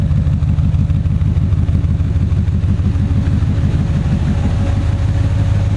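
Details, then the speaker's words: 1978 Datsun 280Z with a JagsThatRun V8 conversion kit and Centerforce flywheel, idling normally while walked around the car; deep, even V8 burble with a steady lumpy beat, no knocks or misses; cooling fan kicks on and off as needed. "this car is really put together care again you can can kind of hear the fan running the fan kicks on and off as needed"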